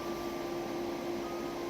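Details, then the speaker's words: 2008 Infiniti G37, key on: constant loud rushing air and steady hum that never cycles down, the radiator cooling fan stuck at maximum speed because the fan controller module has failed and runs in safe mode. "d you hear your cooling fan running on maximum speed or full speed then your radiator fan controller is busted"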